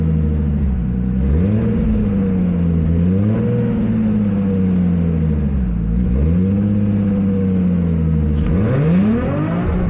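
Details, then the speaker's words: Nissan Skyline R32 GTS-T revved toward redline while chasing a crank trigger issue (scope showed 34 teeth, previously 33): revs stumble near the top, then a sharp backfire out the intake; misfire persists, cause unconfirmed. "So right at red line and a little bit beforehand, we still have that issue, and then it backfired out of the intake."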